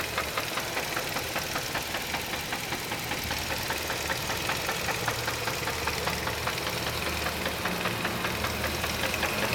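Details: Idling 2002 Chevrolet Cavalier with a sharp, regular knock tapping about two to three times a second; cause unknown to the owner.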